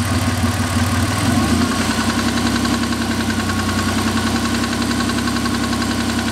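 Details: 2000 Ford SVT Contour with 3L Ford Escape block, Cougar 2.5 heads and SVT cams: after start, idle carries a steady fast knocking, about three or four raps a second, over the drone; engine knock at idle, cause undetermined.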